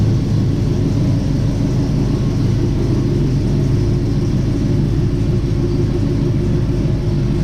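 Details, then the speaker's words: 1967 Chevy C10 V8 with new Holley Sniper fuel injection, just started after topping off transmission fluid, idling in gear backing out: deep, steady, even rumble with no knocks or misses; normal idle. "As you saw, we put it in gear. She idles back out. No problem."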